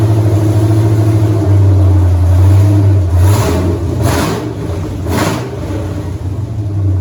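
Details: 1983 Mustang with cammed 5.3 LS from 2002 Avalanche, in park, thermostat not yet open, idle around 750 rpm: lumpy uneven idle with quick blips, chops and hesitates slightly; flat spot to be tuned, cylinder temps even within 10 degrees.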